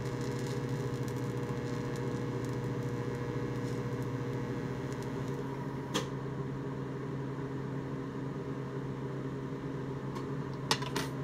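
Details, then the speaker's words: 1990s Miller Econotig in DC-negative TIG mode welding steel: steady, smooth, even hum with a faint low buzz, no crackle or sputter; the machine works normally on DC, while AC aluminum welding is the problem. "simply just showing that the machine is doing what it should do in dc negative"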